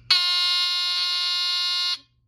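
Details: Mercedes W126 seatbelt/lights/key warning buzzer unit 04545-0732, repaired by replacing a bad 100µF 16V timing capacitor and bench-tested: clean high buzz for just under two seconds, then cuts off; timer working, adjustable by potentiometer.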